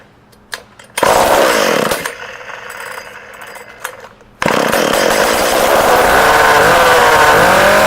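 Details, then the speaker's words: Shindaiwa 488 chainsaw powerhead, no muffler, no bar or chain, cylinder not scored, started on choke: a pull or two, catches, then a loud raspy open-exhaust two-stroke buzz climbing smoothly; starts easily and runs healthy. "Screws fell off the bar cover there, but it does start up and run."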